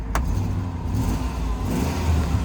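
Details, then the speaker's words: Range Rover P38 4.6L V8 auction truck idling cold while warming up: deep uneven rumble with rapid puffing pulse; owner suspects just an exhaust leak, no excessive fumes. "that sounds like an honest just an exhaust leak nothing no excessive fumes what do you think guys that that that sounds like exhaust"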